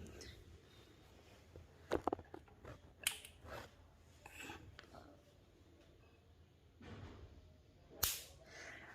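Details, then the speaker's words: Cooler motor 2.5 MFD capacitor, charged from direct mains then shorted: only a few faint, sharp snaps, far too soft for a healthy discharge; weak capacitor spark, which reduces cooler speed. "ये 2.5 MFD के capacitor की जो आवाज़ है, जो short करने पर spark कर रहा है, जो इसकी आवाज़ है वो बहुत ही ज़्यादा कम है।"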